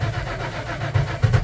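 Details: Tow truck after sensor replacement including MAP sensor: fuel pump runs continuously; short burst of even starter cranking with no catch or rise in speed, turns over but never fires; crank no start.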